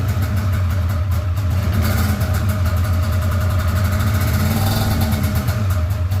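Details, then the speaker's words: Polaris RMK 700 snowmobile build, test run: two-stroke runs lumpy and uneven with a stumbling beat that never smooths, sounding like it fires on only one cylinder; cause not yet found. "does not sound happy at all SMY now interesting does not sound very happy [Music] though yeah sounds like it's only hitting on one cylinder"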